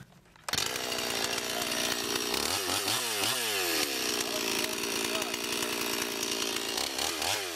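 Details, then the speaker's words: Rebuilt Stihl 026 chainsaw (new Walbro carb kit) cutting wood with sharpened chain and set rakers: crisp high two-stroke buzz pulls cleanly through the cut, dips and recovers smoothly under load; healthy. "so we might go ahead and throw a bar on here and uh see if we can get it in some wood and try that out"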